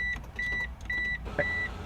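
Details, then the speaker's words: Flood-damaged Mitsubishi Eclipse convertible: top stuck down after previously working. Pressing the switch gives repeated short beeps and faint relay clicks, but the top motor never runs. After several more tries the top eventually moved. "Come on. I hear the relays and everything. Down? What is going on, man?"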